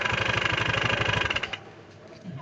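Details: Honda Scoopy-i kick-started after drive belt replacement: fast regular knocking about twelve a second over idle until shutdown, sounds like broken conrod.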